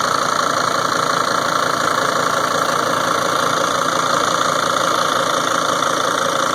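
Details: 2003 Sprinter diesel at idle: fairly even ticking knock nearly three per second over the diesel clatter, louder than normal; cause unknown.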